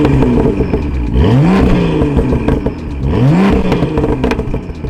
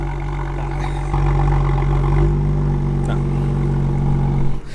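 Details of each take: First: BMW M2 with M Performance exhaust, valves opened by remote in sport mode, after exhaust issues were fixed: two clean rev blips, deep and even with no rattle or buzz; exhaust healthy. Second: BMW M2 exhaust at cold start: loud, deep idle with a sharp rasp and rattle from the rear; a fractured, holed rear exhaust muffler is leaking, and the system is being replaced under warranty.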